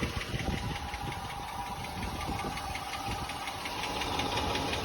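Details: Jeep Grand Cherokee at idle after startup, heard near the wheel well: light, somewhat uneven ticking, about three per second, over a steady idle; owner suspects an exhaust leak further back, though the exhaust shop found none.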